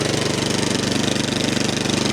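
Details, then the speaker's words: 13-year-old MTD snow blower, Powermore 208cc, warming up after a full-choke start: a rapid, even single-cylinder beat, about twenty pulses a second, holding speed without surging, not hunting. "Okay. She's running. I'm gonna let her warm up a bit. Ooh, it's not hunting at all."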